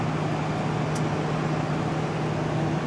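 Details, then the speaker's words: 2021 Carrier gas furnace after burner cutoff, blower fan running alone without the inducer: steady, even rush of air with low constant hum, no knocks or rattles; normal. Inducer, salvaged from a 2003 Carrier, thought to make a slightly odd noise. "There's what the fan alone sounds like without the inducer running."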